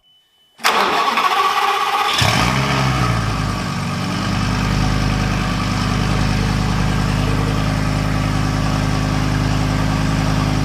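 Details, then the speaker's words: Burnt-out Lamborghini Gallardo LP520 V10 under restoration, run in the workshop with the muffler fitted and high-pressure fuel on: cranks, catches, then a rough, lumpy, uneven idle; right-bank injectors warm, left-bank cold, meaning no ignition on the left bank, so the engine runs on one cylinder bank. "the injectors, they're just the right side is warm and the left side is cold. This means there's no ignition on the left side of the engine."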